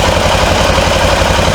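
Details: 2005 Honda Rincon 650 (TRX650FA) ATV, bought cheap with suspected carburetor issues, on reserve fuel with a weak battery and rough-sounding starter: smooth, even idle with a steady low thrum and no misses or stumbles; healthy idle.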